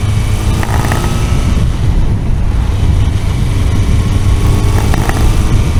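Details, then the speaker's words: Kawasaki motorcycle engine, disassembled but not machined, after about 500 km of careful run-in and a carburettor diaphragm swap (factory needle not adjustable), pulling under throttle: rough roar with a dull pinging knock that worsens under load; cause unconfirmed. "ugyanúy kopogott haem jobban most már ment tehát így elindult"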